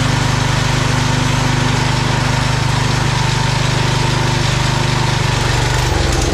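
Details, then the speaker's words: Old Cub Cadet garden tractor, 10 hp Kohler engine, after carburetor clean and fresh fuel replacing very old fuel: steady, even single-cylinder thump at fast idle with no misses or surging; runs smoothly. "all right that was an easy fix this thing runs great just needed a good carb clean fresh fuel that other fuel is real old"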